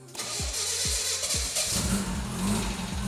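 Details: 1983 Lotus Esprit Turbo with the fuel pump primed by pushing the clutch in: three slow starter cranks, then it catches within about a second and a half and settles into a steady run; starts clean.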